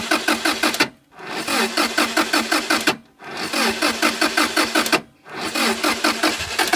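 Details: Subaru Impreza, new ignition coils, confirmed fuel and spark: three even cranking attempts of about two seconds each, starter chugging rhythmically with no catch or firing; cranks but won't start, cause unknown.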